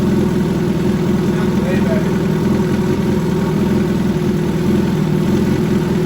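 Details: 2013 Suzuki GSX-R1000 Commemorative Edition restarted after an oil change: steady, even four-cylinder idle with a smooth low pulse and no clatter or ticking; normal healthy idle.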